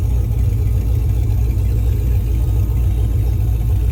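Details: Car with an Alloyworks surge tank holding two fuel pumps, after the failed pump was replaced, fuel pressure reached 40 psi and no leaks were found: deep, steady lumpy rumble with no knocks, ticks or whine. It runs normally.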